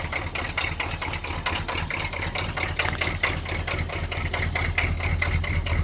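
Cold diesel idling unevenly, clatter pulsing about twice a second with an uneven, loping beat; rough idle, cause not yet found.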